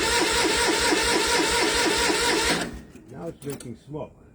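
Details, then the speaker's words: MEP-002A military diesel generator, rusty fuel: steady starter churn about two and a half turns a second for over two seconds, but it never catches; fuel reaching it, owner suspects a bad solenoid or governor issue. "so that means it's getting fuel in now thank you will I think I got some kind of bad solenoid in there"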